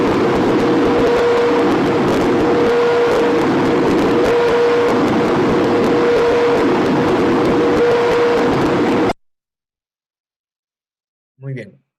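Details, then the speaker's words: Mining axial ventilation fan in stall: steady roaring rush swells and sags about once a second with an on-off whistle on top, fan oscillating between two flow rates; stall surging causing fluctuating stress. "hemos notado ese sonido ese sonido es característico de un efecto esto es lo que mencionábamos anteriormente este régimen en el cual el ventilador está trabajando entre dos caudales tratando de generar un flujo constante"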